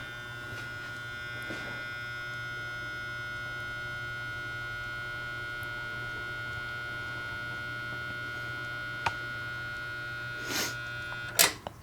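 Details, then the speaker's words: Rare 1950s Fisher-Pierce meter-base photocell just switched back on; steady electrical hum with a thin unchanging high whine on top; cause not pinned down. "Oh, look, it's humming. You didn't like me turning you back on?"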